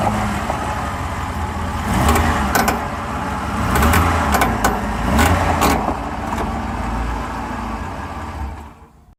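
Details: 2008 Ford F150 FX4 while driving: sharp, irregular creaks and snaps over the low rumble, starting after a recent transmission change; cause unknown.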